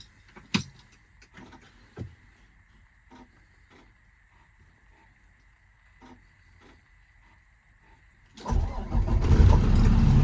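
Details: 2009 Kenworth T370 diesel service truck, just under 35k miles and about 3,000 hours, freshly serviced: a few faint clicks, then it cranks, catches at once and settles into a full, even rumble. Normal start and idle.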